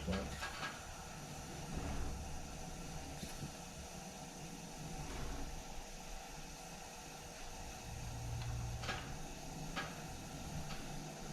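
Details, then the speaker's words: Coleman model 243 lantern burning weakly with a steady uneven hiss, faint sizzle and crackle as it slowly comes to life, owner suspects the clogged generator needs cleaning; check valve and generator later replaced. "I can definitely hear it's hissing there it's finally starting to come to life I wonder if we need to take the generator out and clean it"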